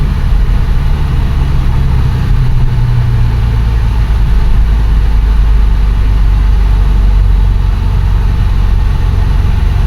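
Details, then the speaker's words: 2008 BMW E83 X3 after extensive repairs, driving in drive at higher speed: heavy constant low drone that swells and eases, vibration stronger and coming in and out; driveline vibration under load, later confirmed from the rear differential, not the transfer case. "Now, we're vibrating. Oh, and the vibration is stronger now. It's kind of going in and out."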